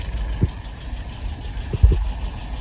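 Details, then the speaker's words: 48 flathead test stand running a restored WO carburetor, idle about 675 rpm, fuel pressure 2.75, vacuum 23, no leaks, float set correctly; low steady even idle with faint occasional thumps, running cleanly after restoration and adjustment. "Idle RPM, about 675. Fuel pressure, 2.75. Look at that vacuum, 23. Excellent."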